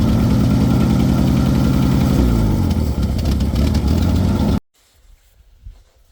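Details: 1966 Ford F100 that sat for years, now running on new points, condenser, plugs, wires, cap and rotor: lumpy, uneven idle with a stumbling miss before it shuts off; a bad cylinder is suspected, compression test pending.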